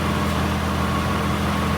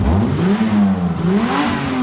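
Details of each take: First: 3.5 L V6 car with a rusted exhaust, idling while a hose is used to listen along the pipe: raspy, puffing blow over the engine hum from rusted seams and holes, confirming an exhaust leak there. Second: Engine revved after the blown exhaust was properly repaired with welded metal: smooth rises and falls with no puffing, blowing or raspy leak; exhaust sealed, remaining noise judged to be the engine itself.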